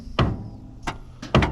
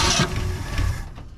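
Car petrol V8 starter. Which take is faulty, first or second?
first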